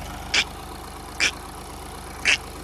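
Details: VW Polo with codes P00AF, P2564 and P0045 (turbocharger A module performance): a few crisp, uneven ticks about once a second over a smooth idle. Owner suspects one of the solenoids and saw slight movement in the turbo control solenoid; not confirmed.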